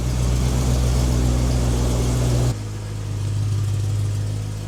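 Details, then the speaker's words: BMW E90 M3 V8, 6-speed manual, idle after checking and snugging X-pipe and exhaust bolts that had rattled loose: deep steady rumble dropping smoothly to an even idle, no ticking or puffing; no exhaust leaks, normal. "No exhaust leaks. All right, we're in action."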